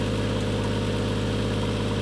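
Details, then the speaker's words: Toyota Mark II JZX110 with a 1JZ-GTE, first start after refitting the refurbished turbo: a steady idle with a rapid low puffing chuff. The exhaust is blowing badly at a joint, and a VVT-i tick is noted. "Exhaust is blowing badly, but we shall wait and see."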